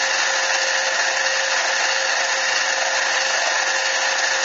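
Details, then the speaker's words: Lathe truing the center bore of a T6 aluminum airgun muzzle brake, tool catching only the high spots of the out-of-round part: harsh hissy cutting with a steady high ring; tool chatter from interrupted cut. "actually hear the chatter that's just catching the high side there's no way we're going to have perfectly run"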